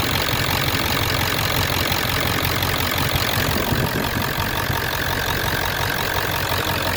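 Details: Ford 7.3 Power Stroke diesel after lift pump replacement with new hoses and clamps; old pump let air into fuel system causing hard starts: steady idle with even clatter, no stumbles or misses; normal idle.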